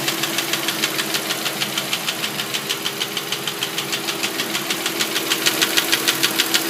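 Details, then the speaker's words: 2005 Audi A6 C6, 2.4 BDW engine, cold idle: sharp, even metallic knocking about three times a second; seller blamed hydraulic lifters, but teardown showed piston slap with the piston striking the cylinder head. "Audi A6, кузов C6, 2005 год. Стучит двигатель."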